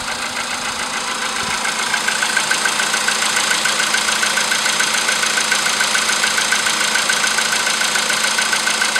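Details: VW Polo sedan CFN engine, cold start in the morning after sitting overnight at about 10°C: sharp, regular ticking about 140 per minute over a steady cold idle; knock from inside the engine.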